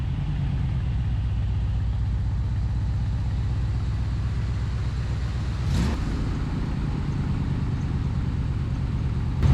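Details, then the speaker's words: Chevy G10 van V8 being readied for a hot rod show, started after a jump-start: smooth, even low rumble at steady idle with no knocks or misses; pressure looks good, running healthy. "pressure looks good everything looks good all right guys things running"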